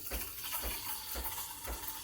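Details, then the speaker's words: Breville Barista Express BES870 steam wand tip just under the milk surface: steady airy hiss with soft gurgling pulses about twice a second, normal air injection while stretching milk for a latte. "this sound means i'm injecting air into the milk and then i'm going to stop injecting here so that it doesn't become too bubbly because that's not what a latte is"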